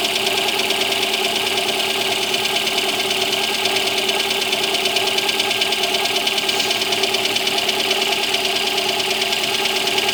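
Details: Lada Granta engine at cold idle: fast, fairly even ticking knock about three per second over busy engine clatter; cause unclear.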